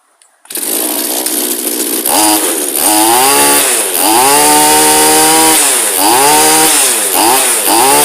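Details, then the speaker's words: Straight-shaft two-stroke line trimmer/brush cutter bought in working condition: high buzzing blips up and back down cleanly several times, picking up revs crisply with no bogging. Healthy running. "okay it's a winner not much wrong with that one okay guys"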